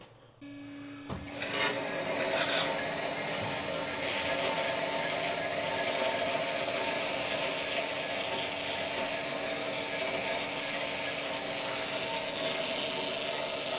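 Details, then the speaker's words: New RMT S-Fab PDM 10-14 bandsaw, first start with blade tension set in the green: starts, then steady even hiss and hum with no slap or scrape, blade settled and dropped slightly; normal smooth running. "Okay, so the blade's kind of settled in and it's actually dropped a little bit. So, I'm going to tighten it back up to it to the sweet spot. And this blade sounds like it's running really smooth."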